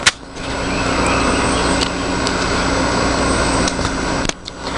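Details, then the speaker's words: 1984 Hotpoint (GE) 7,600 BTU window air conditioner on ultra low, heard from the outside of the unit: low, steady hum with a faint even whir, no rattles or surges. Normal, quiet running. "I left it on ultra low you can hear how quiet it is here's the outside of it"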